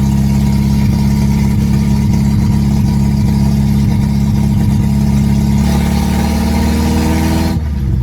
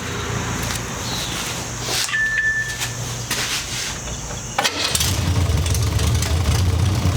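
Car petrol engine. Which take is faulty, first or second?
first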